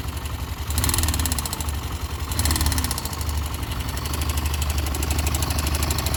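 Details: YB single-cylinder motorcycle at idle: a quick light ticking knock rides over the exhaust beat and rises briefly with two throttle blips; abnormal engine noise.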